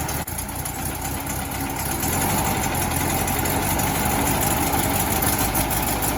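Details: 1968 VW Bus air-cooled engine after rebuild, valves/rockers adjusted and distributor set to cure earlier clacking: after a brief catch it settles into an even, quick idle beat, no backfires or clacking; runs well.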